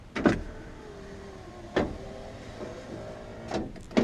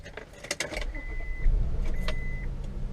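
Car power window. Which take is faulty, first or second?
second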